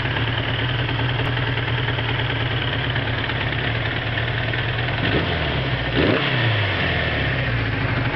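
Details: 1981 Suzuki GS550 four-cylinder, first start after five years stored, rebuilt carbs and top end (10.5:1 Wiseco pistons, bored .010 over, fresh gaskets): smooth even idle, clean rise on a short rev and prompt drop back; normal idle and revving.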